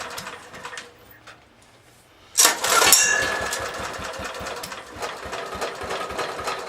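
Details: 1970s Honda E2500 generator with choke on and fuel overflowing from a suspected sticky carb needle: the small engine catches after a pause and settles into an uneven, lumpy beat of about three pulses a second; rough running on choke.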